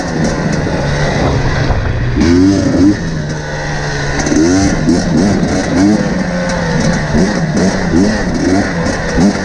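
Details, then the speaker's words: KTM 250 XC-W TPI two-stroke after swapping the ambient pressure sensor into the crankcase pressure sensor position, same part number; before, it loaded up and sputtered at low rpm. Now quick, clean rev blips from a steady idle with no bogging, crisp low-rpm throttle response. "so you can hear it immediately it's running crisper the throttle response at low rpms is really good and yeah i just totally fixed it"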